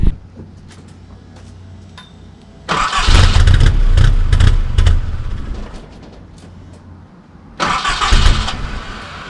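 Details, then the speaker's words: Nissan D21 flatbed pickup, sat 5 years, ran on bad fuel then refilled with fresh fuel and roughly tuned: roars, stumbles and dies within seconds, restarts rough and surges up and down; rough running and stalling after start. "all right guys so we ran some bad fuel through it and kind of ran but uh we put some new fuel in it got it kind of baseline kind of tuned i guess off the of the carburetor you know injection deal thing there but it's i mean it's running surging pretty good it'll rev down rev up so"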